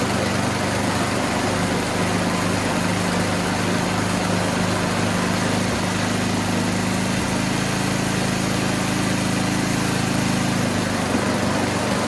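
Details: Toro Power Shift 624 snowblower after new drive and auger belts were installed, belts possibly needing slight adjustment: steady, even small-engine run with a constant low hum, no slipping squeal or knocking; sounds healthy.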